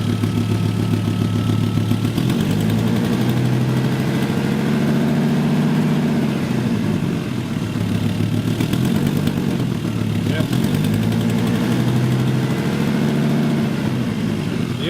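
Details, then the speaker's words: 1996 Volvo 850 2.5L 20V estate, first start after head gasket replacement, warm idle: a light, quick puffing tick on the engine beat; exhaust manifold leak, not the lifters. "that's is definitely not the lifters it's the exhaust"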